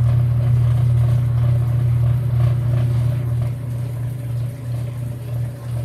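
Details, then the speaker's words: Whirlpool WTW5300SQ0 top-load washer after a new timer was fitted, on the drain/spin after pre-wash: steady low hum with an even churning rhythm, settling slightly as it spins, a normal drain and spin. "so it sounds like when it's spinning"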